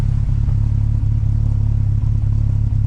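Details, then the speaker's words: MK4 12v VR6 wagon with new Techtonics 268 cams, no downpipe, high-flow cat or tune yet: deep steady idle with a slight rhythmic chop about four dips a second, mild cam lope, otherwise running evenly. "so I fully expect this car once I get the downpipe uh the high flow cat the tune for it she's going to sound nasty but I can already hear"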